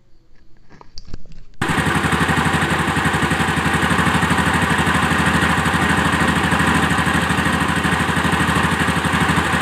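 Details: Honda Activa scooter after carburetor air screw adjustment; small engine putters at a steady, even idle of roughly three beats a second with no misses or hunting.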